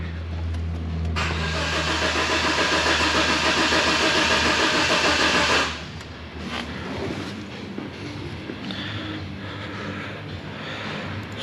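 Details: 1992 Geo Tracker engine in an off-road buggy, crank-no-start with a new coil already fitted, scoped on the coil circuits while cranking; even cranking about 3.5 turns per second for five seconds, never firing. Faulty main relay, no ignition.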